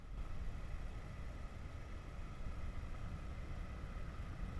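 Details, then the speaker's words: 2006 Dodge Stratus A/C blower after replacing the motor that had a high-pitched noise, running on high (speed 4): soft, steady air rush with faint even hum, no squeal; new blower motor working normally. "the motor is working fine except we don't have that noise as you can see the motor is all the way to four number four"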